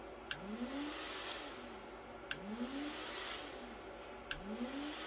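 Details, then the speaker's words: Siemens S7-1200 PLC with relay outputs switching a fan on and off every second: a sharp relay click every cycle, the fan whirring up and coasting down between clicks. Normal pulsing output. "this particular cpu is a relay output so you wouldn't really pulse with relays like you're gonna hear clicking a bunch"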